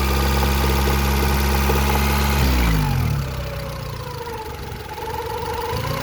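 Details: 1991 Honda Accord F22A1 with 1995 Prelude head, valve lash in spec: steady even knock about four a second at idle, seeming to come from the top near cylinders 3–4, present since February 2020; owner suspects piston slap or rod bearing.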